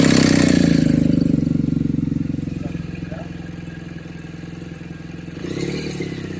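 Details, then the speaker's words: BMW R1200GS Adventure boxer with an aftermarket muffler, test-run after reinstalling the exhaust valve actuator to check it moves with the throttle: a brief rev settles into an even, steady idle, then it blips cleanly; normal running with no odd rattles. "Before I put this back on and put my covers back on here, I am going to start the bike and just make sure this moves with the exhaust, with the throttle motion, just to ensure it works fine."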